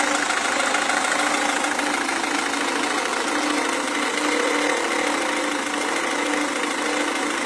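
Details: Renault Scenic 2 1.5 dCi diesel idling with a hard rattling knock at an even pace; injection suspected, cause unknown.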